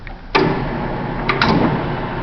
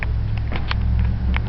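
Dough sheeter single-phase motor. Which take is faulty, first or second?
first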